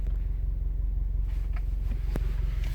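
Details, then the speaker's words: 2017–2018 Subaru WRX STI at idle: deep heavy evenly pulsing drone, whole body vibrating at the low idle speed; owner suspects software; idle vibration, cause suspected, not confirmed. "good morning these cars never fail to amaze me like I'm sitting here the entire Kyser vibrating do you hear this"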